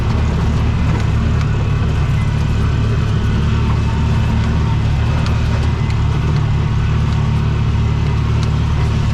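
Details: Bobcat 3400XL (rebadged Polaris Ranger 500), single-cylinder fuel-injected 500, after rigging a replacement fuel pump giving 40 psi fuel pressure: steady deep drone held at full throttle, no stumbles or surging; normal full-throttle running.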